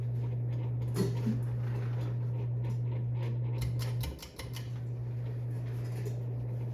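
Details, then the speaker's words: 52in Evergo hugger ceiling fan, loud at lower speed, running on high speed. Smooth steady low hum with only faint light ticks and no rattle or grinding; it is fairly quiet at high speed. "all right in high speed it's pretty quiet"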